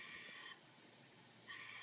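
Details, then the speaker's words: Ford 6.0 Powerstroke diesel, no start when hot: shop air pushed into the high-pressure oil system gives a thin high hiss fading and returning, a leak on the side being checked; air leak in high-pressure oil system. "I'm not sure how well that's showing up but this one this side is actually showing leak now"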